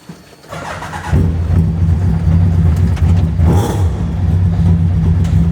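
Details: Hayabusa-engined Nissan Micra, first start before its first drive, choke on: short crank, then the engine fires at once and settles into a steady, even idle with no misfire or clatter; normal start.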